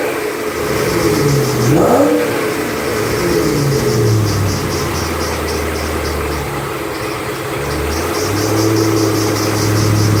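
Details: 2008 Bullitt Mustang V8, 8-rib serpentine belt, the morning after sitting overnight in the garage, under 30 miles driven: a shrill squeal rises and falls with each rev, the belt slipping on the pulleys, cause unclear.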